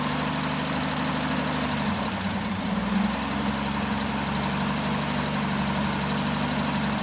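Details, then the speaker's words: Jeep J10 after carburetor rebuild, cold weather, about two gallons of fuel: steady even idle with low smooth rumble, no knocks or stumbles; builds oil pressure and voltage, some oil burning off, suspected valve cover gasket leak. "Um but you know, it's running. got old pressure. It's actually building some voltage, which is good. Um, so yeah, it's uh let it run here in a minute. See if it'll just kind of keep purring."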